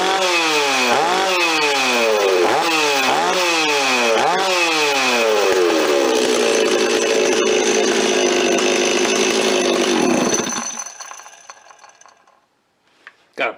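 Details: Rebuilt Stihl 026 two-stroke chainsaw, parts saw restored with aftermarket parts, first run on fresh high-octane fuel, no bar or chain fitted: quick even rev blips, then a clean high scream before shutting off; healthy normal running.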